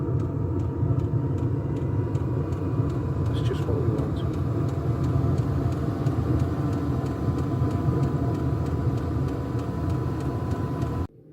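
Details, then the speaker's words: Diesel air heater heating a house through a vent, exhaust outside, initial startup: steady low exhaust roar with an even fuel-pump tick about twice a second, ticking over nicely; normal running. "yeah that's ticking over nice look oh yeah yeah that's uh that's"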